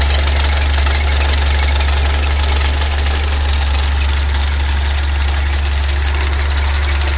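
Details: Fiat Uno EP 1996 at idle: steady deep drone with a faint, uneven tick about three times a second; engine noise, cause not determined.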